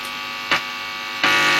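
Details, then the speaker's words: 1960s record player with modern cartridge on adapted arm, driving a development amp direct from the cartridge: constant buzzy hum unchanged at minimum volume, from ripple of a poorly filtered bench power supply; mains hum. "the power supply i'm using hasn't got a lot of filtering on it so that's going to cause quite a bit of um buzz"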